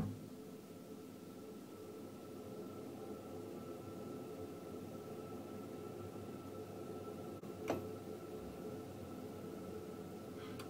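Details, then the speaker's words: Ideal Logic Plus combi boiler, under warranty, emitting a loud steady droning hum with a faint high whistle, diagnosed as a faulty gas valve to be replaced. "so we've just diagnosed this now and what we've got on this Bo we've actually got a faulty gas valve"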